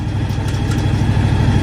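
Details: John Deere X724 tractor fitted with a 54-inch snow blower: low, even, steady idle with a smooth regular beat and no knocks or misses. Normal idle.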